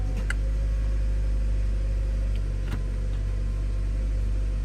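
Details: 2013 Chevrolet Cruze 1.4L turbo idling right after a water pump replacement and coolant fill, heater on high with the blower: a steady, low, even hum with no knocks, ticks or squeals. The idle is normal.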